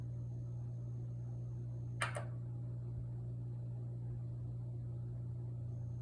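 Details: Kenwood EW7507EK oil-filled radiator heater not heating, lights blinking: low electrical hum then a sharp double click from the thermal cutoff switch; fixed by ensuring the thermal cutoff switch properly contacts the radiator.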